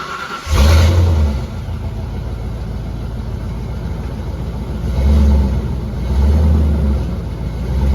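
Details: Australian Ford EB GT V8, rough daily driver; fires quickly into a deep, steady burble with clean throttle blips and no ticks or misfires; healthy start and idle.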